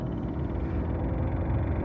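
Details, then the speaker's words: 2014-2018 Mazda 3 with A/C running: rapid ticking buzz over steady fan rush, getting faster with fan speed, from behind the glove box; leaves fell into the blower fan after an air filter change. "You can hear this ticking sound. And you can hear it, it gets faster as the AC gets faster. And if you really listen, it's coming from somewhere behind here."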